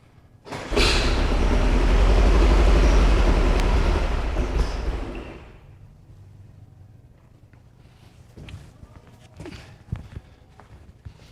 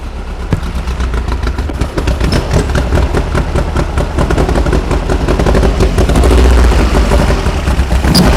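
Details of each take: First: 1973 VW Super Beetle with 40 IDF carburetors; the distributor may have been tampered with. It catches and runs loud and ragged for a few seconds, then dies into uneven sputters. Rough running on a rich mixture. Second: 1973 VW Super Beetle air-cooled engine on 40 IDF carburetors, being troubleshot for drivability problems with distributor position questioned: busy but even clatter at about 2.5 beats per second, steady with no stumbles; idles cleanly and happily.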